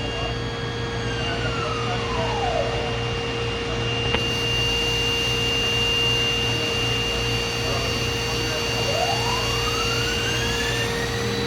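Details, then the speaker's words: DMG Mori Seiki DMC 1035V vertical machining center, spindle replaced by DMG within the last 4–5 months, machine runs daily and has only cut aluminum: spindle at 12,000 RPM gives a steady, smooth high-pitched hum with no roughness, normal and healthy. "And that's at 12,000, the perfect hum of a 12,000."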